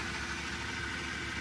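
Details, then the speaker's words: Mercedes W124 at idle after sitting a while, previously had a knocking sound: steady, even idle with a faint continuous rub over the engine; something rotating seems to be running dry, source not yet found. "Like it's rubbing on something, like when you hear it turning and it's like making that weird noise. Gotta figure out what's running dry there."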